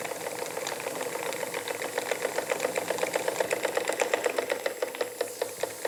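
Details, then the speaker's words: Jensen Model 25 steam engine, first run, warm and boiling; quick light ticking about four per second in time with the engine, from the crank main bearing, not conrods or eccentric linkage, quieter in reverse: crank main bearing knock. "so cut a bit of a knock it's coming from the main bearing on the crank it is not coming from any of The Conrads or The Eccentric linkage as I thought"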